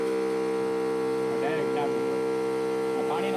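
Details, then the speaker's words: Repaired farm spray pump, regulator half open, 6-hole nozzle fitted: steady, even motor hum at one pitch with no surging or dips, holding pressure. "એટલે કદાચ હવે આપણે 4 કે 5 હોલવાળા 3 ફુવારા ચડાવ્યો હોય ને તો આમાં પ્રેશરમાં કંઈ ઘટે નહીં."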